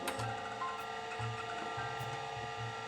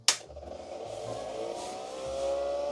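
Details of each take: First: Datavue Snap 1+1 portable MS-DOS computer, hard drive loading programs: short bursts of quick clicking and whirring seek chatter over faint steady spin hum; drive working normally. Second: Datavue Snap 1+1 portable MS-DOS computer reassembled and switched on: a click, then a whirring that climbs and grows louder. The cooling fan is loud at power-on.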